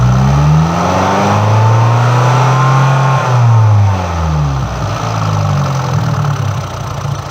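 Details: MultiAir engine with electro-hydraulic variable intake valve lift; revs rise and fall while the valvetrain tapping keeps one unchanging rhythm, because the ECU triggered failsafe and locked the unit at full lift.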